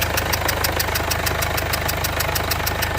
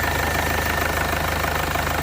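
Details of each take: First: 2015 Mercedes CLA 220d diesel idling, bonnet open, engine light on, misfire and vibration complaints: a sharp, even puff-tick about three times a second over the clatter from the back of the engine, traced to a leaking injector. Injector seal compression leak. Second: 2015 Mercedes CLA 220d diesel after repairing a puffing leak suspected at the injector seals, smooth, even diesel clatter at a steady idle with no misses, knocks or hunting, and returns not leaking; normal idle after repair.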